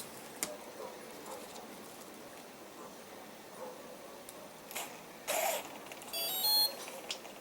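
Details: Pentium 60 A airplane ESC after replacing a bad driver, battery connected: quiet room then a short run of high electronic tones; speed controller arming normally, motor afterwards spins smoothly.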